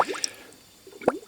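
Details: 1999 Honda Accord V6 EX, about 160,000 miles, engine cold: irregular gurgles and wet pops from the coolant filler as gas pushes in. A leak-down test confirmed a blown head gasket on cylinder 2, rear bank.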